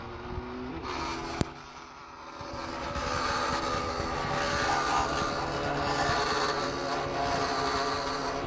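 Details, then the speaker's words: DIY 3500 mW laser cutter (RAMPS 1.4, TTL on/off) cutting black glossy vinyl sticker material. Thin shifting axis-motor whines over a steady fan hiss as it cuts normally. "on voit que ça découpe bien passé sur la [Musique] c'est magique mais ça pue"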